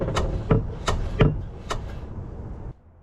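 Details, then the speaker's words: Jeep XJ with swapped 350 V8, body pushed down by hand: a handful of dull uneven clunks as the header collector hits the axle tower. "the collector on the header was hitting the the tower off on the axle huh a that's no bueno"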